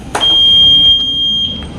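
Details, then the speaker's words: 2007 Yamaha Jupiter MX, bored up to 57 mm with a Vixion block, fitted with a digital speedometer. At key-on there is one long high beep of about 1.5 seconds: the owner's normal startup check, standing in for the stock water-temperature and TPS sensor warning. "Nah, itu adalah tadi bunyi beep dari sensor apa namanya? Kalau di speedometer standar itu ada sensor water temperature dan juga sensor TPS ya."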